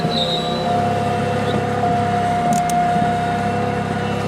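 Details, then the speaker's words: Rusty Buick LeSabre, driven without warming up: steady mid-pitched whine over an even idle and road hum; owner unsure whether it is supercharger whine or a bearing. "Listen to that supercharger whine. Or maybe it's a bearing. One of the two."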